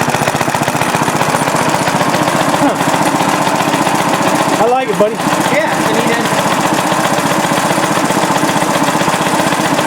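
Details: Restored rare Briggs & Stratton NR6 6:1 gear reduction single-cylinder engine, first run after restoration with a cooling fan blowing: steady constant speed, even crisp beats, no misses or knocks; sounds healthy.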